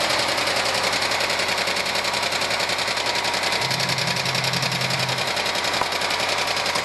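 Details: 1997 Argentine Renault Clio engine, valves already adjusted: rapid, even hard metallic knock about three per second over the running engine; one mechanic says piston skirt slap needing a rebuild, others blamed clogged oil breather or oil galleries; unconfirmed.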